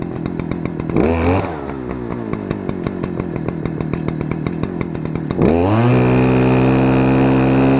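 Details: Stihl FS-250R 40cc two-stroke trimmer after carb rebuild kit, 50:1 ethanol-free fuel, high and low screws just set: quick blip, rattly uneven idle, then clean climb to steady high scream without sag; normal high revving.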